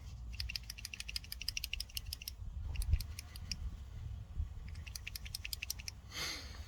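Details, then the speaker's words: Ford XH Falcon automatic with 2nd-to-3rd no-shift problem, transmission solenoid removed, after cleaning out gum: crisp quick bursts of light clicking as it is shaken, plunger moving freely and rattling evenly with no sticking. "and that's working again hopefully that's how it should sound"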